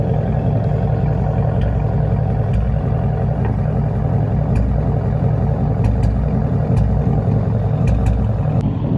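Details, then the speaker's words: 5.0 V8 on E85 with bolt-ons, over 100,000 miles: loud lumpy idle with an uneven, stumbling misfire; owner suspects worn coil packs and spark plugs and plans to replace them, cause not confirmed. "I think I'm gonna stay low on racing for a little bit till I get this misfiring issue fixed. But yeah, man, just listen to her misfiring,"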